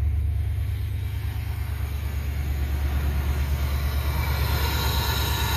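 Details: 1997 Ford Explorer 5.0 V8 fitted with a modified 94-95 Mustang SR Performance cold air intake and custom MAF bracket, just started: deep, steady rumble with an even beat and nothing knocking or ticking; idling cleanly.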